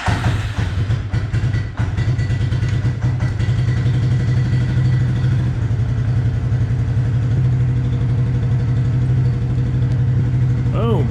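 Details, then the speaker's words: Suzuki King Quad ATV after replacing a suspected faulty part, charging shows 14.3 with lights off: steady, even low idle thump with no misses or knocks; runs smooth after the fix. "14.3 no lights on all right and it runs good good"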